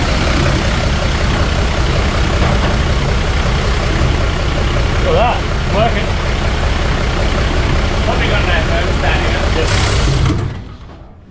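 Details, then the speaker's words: 41-year-old Toyota Landcruiser HJ47 diesel, ex-paddock hack, at its first fire-up after cleaning: fires and settles into a loud, steady, even clatter with a deep rumble and no misses, then shuts off; runs fine. "So she fired up beautifully, and I really thank Tim for his help."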